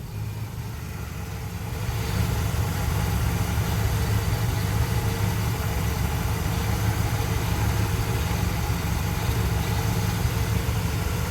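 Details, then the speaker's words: 1973 Dodge D100 after exhaust manifold bolt work and a coolant top-up, started with the engine fairly cool: a smooth, even low idle rumble with no tick or puffing at the manifold, a healthy idle. "Let's give it a start. See what blows up. You know, the engine was pretty cool. I don't hear a tick."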